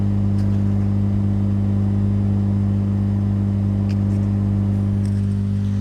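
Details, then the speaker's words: 5.2 Dolby Digital remote-kit amplifier with speakers connected, before rebuild: constant loud low droning hum with no rhythm, unchanging throughout; mains hum caused by faulty wiring inside the amplifier. "ఇది మొత్తం wiring fault ఉంది wiring fault వల్ల మనకి ఈ humming noises అనేది వస్తుంది ఓకేనా"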